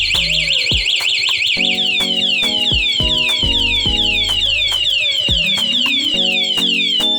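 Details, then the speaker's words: Honda Wave 110i (older model) fitted with a model-specific remote anti-theft alarm; pressing lock on the remote while the bike is running sets off a fast, warbling, high-pitched siren, then the engine cuts out and can't be ridden until unlocked. "เมื่อเราเห็นตัวรถครับเราสามารถกดล็อครถทันทีได้เลยครับไม่ต้องกดตัวเหมือนทุนได้รับกดล็อคอย่างเดียวรับรสจะร้องสักพักรถก็ดับไปครับ"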